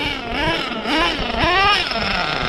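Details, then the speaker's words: Redcat Nitro Earthquake 3.5 nitro RC engine on slow passes after fueling the carb, before further tuning: small engine buzzes cleanly, pitch rising and falling smoothly with gentle throttle, crisp with no bogging; good slow-speed response. "I heard that very good slow speed response"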